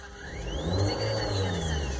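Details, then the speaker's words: Car engine running with aftermarket stereo installed: thin high whine through the speakers rises and falls with engine revs over low rumble, louder at low volume; technician calls it a factory defect. "conforme acelero se escucha el ruido como un zumbido y cuando aceleró aumenta más el ruido lo hace más de corrido como que trabaja como que el ruido va al ritmo de la máquina"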